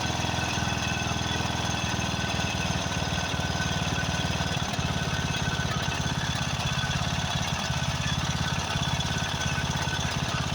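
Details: Craftsman riding mower, 13.5 hp Briggs & Stratton OHV single, after a carburetor replacement: thumping about 200 beats a minute, uneven and stumbling. Owner suspects fuel mixture adjustment or possibly a blown head gasket.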